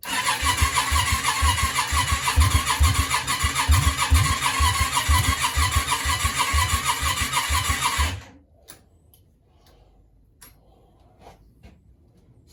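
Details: Yamaha Virago 535 project engine, cranked on a hooked-up battery: an even, easy-spinning crank at about two beats a second for eight seconds with no firing, then silence. It turns over easier than expected.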